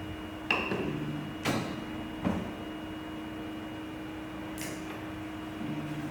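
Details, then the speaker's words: Eryone ER20 3D printer homing after fixing loud homing noise by adjusting TMC driver settings (Marlin firmware): a few soft bumps over a faint steady hum, no grinding or slamming; homing now quieter and normal. "okay now you can see the printer homie is smaller and silent than before so it means working"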